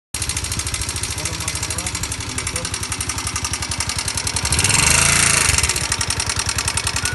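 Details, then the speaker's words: Bajaj NS 160 single-cylinder motorcycle at idle: fast, dry metallic ticking from the top end, caused by damaged rocker arms, which are being replaced. "Este era el exeso de ruido que traía la la motocicleta"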